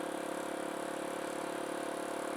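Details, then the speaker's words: Kawasaki KLX170 big bore during break-in riding after a top-end rebuild: faint, quick, even ticking over steady running and wind noise. Owner adjusted the valves on the looser side and thinks that may cause it. "I hope it does get a little quieter so it sounds it's a look it sounds like it's a little more Kappa D than it was before but I think that's okay"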